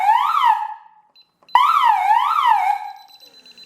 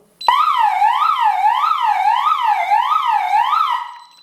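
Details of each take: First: DSC alarm panel after pressing keys 1 and 3 together: wailing siren sweeping up and down about twice a second in bursts. This is the panel's pulsed fire-alarm signal. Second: DSC alarm system test: loud electronic siren sweeping up and down about twice a second, panic alarm sounding after the panic button is pressed.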